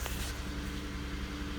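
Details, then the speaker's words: 2008 Ford Fusion SE 3.0L V6 idles with a deep, uneven rumble and steering wheel vibration: misfire, code P0351, from a cylinder 1 ignition coil circuit failure. "fire i'm sure you can hear it it's running pretty rough"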